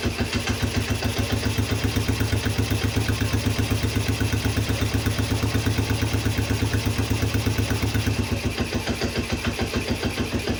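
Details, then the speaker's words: Polaris Phoenix 200cc quad after carburetor jets were cleaned with carb cleaner and a new battery fitted: a slow single-cylinder putter of about four beats a second, slightly loping and uneven. Idle is too low and gets raised. "Sounds like it's idling a little low. I'm going to bump that up."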